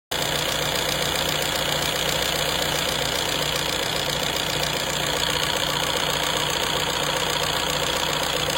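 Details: Renault 1.6 dCi diesel at steady idle: a clear rhythmic knock of about two or three beats per second over a hard diesel clatter. Abnormal engine noise, cause unknown.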